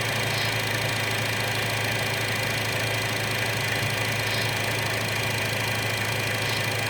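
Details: 2012 Chevy Cruze 1.4L at idle with vacuum leak plugged by thumb: steady even idle, no hiss or stumble; fuel trims correct and O2 sensor normal, confirming leak in valve cover integrated PCV, fixed by new valve cover.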